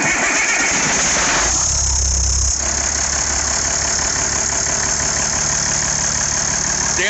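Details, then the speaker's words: IH 5288 tractor diesel, first start after work, once fuel reached the injectors after bleeding the lines: the starter churns about 1.5 s, then it catches with a deep thump and settles into a steady, even idle, sounding better than in years. "that sounds good boy she's thrilled that sounds better than it has in years"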